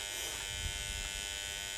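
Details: Bell & Howell 652 16mm projector powered up for the first time after being found in the trash: a loud, harsh, steady buzz with no change, traced to the motor and a relay on top, with smoke coming from the motor. Electrical buzz.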